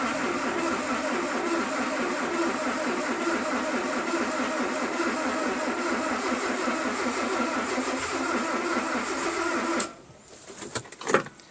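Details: Mazda B2200 with a swapped-in Kia FE3 engine on its first start attempt, after earlier bad-starter trouble and throttle cable work: the starter churns steadily for about ten seconds with no catch. Cranks but won't start.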